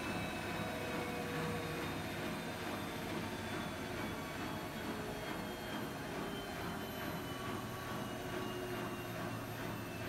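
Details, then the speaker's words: Siemens iQ300 8 kg 1000 rpm washing machine spinning at about 1000 rpm with wet laundry, extra rinse off: steady, even whoosh with faint constant hum, no knocking or grinding; normal spin, no fault. "Makinemiz şu an ortalama 1000 devirde sıkma yapıyor arkadaşlar. Bu makinede hiçbir şekilde herhangi bir sorun veya arıza yok."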